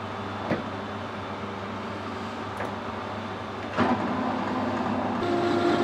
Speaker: You hear that chattering there. What you've got to do with when you're parting off is, if it starts to chatter like that, you got to change the speed or just feed it in harder.